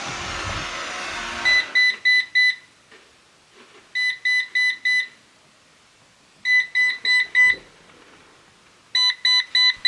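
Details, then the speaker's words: Eufy Robovac 11 robot vacuum, several years old, brand-new battery: steady red light with groups of four sharp high beeps every two to three seconds; error code means roller brush stuck, and the roller is not turning. "So the steady red light before beeps. Oh. The trouble is our roller is not going round. Red indicator, steady on, 4 beeps, rolling brush is stuck, which it is."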